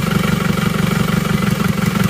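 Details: Isuzu Panther diesel after replacing the weak cylinder 4 injector: steady idle with even, regular firing and no missing beats, all cylinders now producing power; owner still reports some shaking on cold morning starts.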